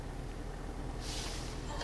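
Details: Car audio after the repair: engine rumble with the revs rising and no whine in the speakers; the whine, which had grown with throttle, was fixed by grounding the head unit's line-out connector shell to chassis negative; it was caused by unplugging lines while powered.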